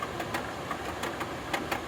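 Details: Royal Sovereign 14,000 BTU air conditioner running, the unit visibly shaking: irregular sharp bangs every fraction of a second over a low hum, something knocking inside, cause unknown.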